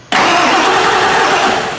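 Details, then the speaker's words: Engine cranking on the starter with an uneven beat, one spot spinning faster than the rest, meaning no compression there: a dead cylinder from a piston ring, cracked piston or burnt valve. "now if you hear your engine cranking and it goes like this it's not a smooth crank it's got a spot in there where it goes a little faster you got a dead cylinder in engine"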